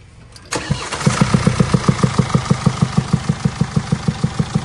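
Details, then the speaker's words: Mercedes E220d W213 OM654 diesel convertible, engine started: loud, rapid, steady valvetrain knock several times a second over idle, persisting after intake manifold replacement; worn rocker arms and scored camshaft lobe. "you can hear, we still got a loud knocking noise."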